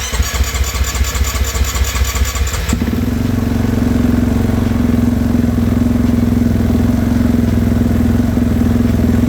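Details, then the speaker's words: 2018.5 Husqvarna FC450 single that was hard starting, bogging, backfiring and losing power, after a fuel system fix with new filter and clamps, runs strong and revs cleanly without dying, a thousand times better than before. "okay a thousand times better before I wouldn't even rev like that it would want to die and fall on its face so I think that was it"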